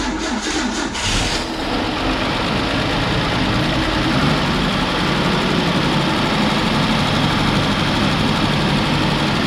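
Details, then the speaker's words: 1966 Ford Bronco that sat for years, with new fuel pump, coil and distributor: it starts into an uneven, loping idle that stumbles every few beats; cylinder 5 is low on compression, causing misfire and backfire, and a sloppy timing chain is suspected. "and then it was also backfiring because there's a bunch of extra fuel going through because cylinder 5 decided to be down in compression compared to the other"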